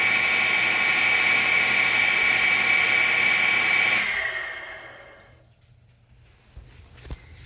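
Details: FloTec FP4150 pump, installed 15 months, just out of 12-month warranty: harsh high-pitched grinding whine holding steady, then sagging and fading as the pump spins down; internal grinding noise.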